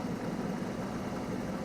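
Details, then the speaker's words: 1993 Ford F-250 V8: the scan tool shows no data stream, and the engine computer is failing and in limp mode. The low idle is uneven, with hits and misses, and it jumps around. Rough idle from a failing engine computer. "so this tells me that the computer is not working so it's it's running and it's working enough to run but it's not working correctly it's basically in limp mode it doesn't know what to do so it sits here and it idles and it'll idle poorly it'll hit and miss it'll jump around a little bit"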